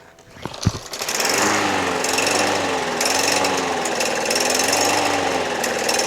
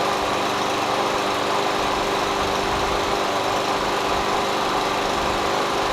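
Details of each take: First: Free curbside MTD Yard Machines push mower, Briggs 550EX Series ReadyStart auto choke, plastic carburetor: starts after 3 pulls but runs rough, pitch hunting about once a second; surging from dirty carburetor, main jet suspected clogged, fixed by carb clean. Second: MTD Yard Machines push mower with Briggs 550EX Ready Start auto choke, after carburetor cleaning (previously surged and ran rough, lost spring replaced by guesswork): steady even speed, smooth unbroken note, no misses or surging; normal running.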